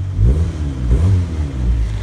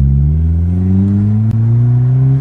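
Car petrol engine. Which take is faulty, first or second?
second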